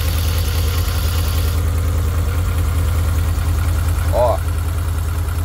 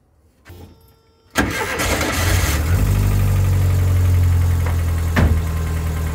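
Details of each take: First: VW Kombi after sitting days in heavy rain, wouldn't start first time: loud, low, lumpy idle stumbling as if one cylinder isn't firing; owner suspects worn spark plug wires, second plug lead sparking everywhere. Misfire at idle. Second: VW Kombi that sat for days in heavy rain and was hard to start and misfiring. After maintenance work on the engine it cranks briefly, catches at once and settles into a steady, even idle with no misfire.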